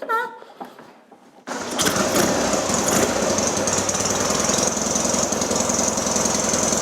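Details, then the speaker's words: 1966 Norton Atlas twin after full engine rebuild, third run, kick-started with magneto; catches and holds a steady, even, quick exhaust beat at fast idle while bedding in, running cleanly; worn twin carbs may need attention. "because it's only just been put together and run up full knee running in we might have to look at carburation because these carbs are a little bit worn"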